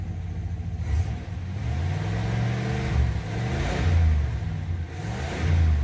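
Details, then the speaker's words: 1982 Chevrolet Impala, sat about 5 years and last run 10 years ago, revved after starting. The V8 rises and falls cleanly with no knocks or misses despite a squealing alternator belt; it sounds healthy. "all right old girl sounds good"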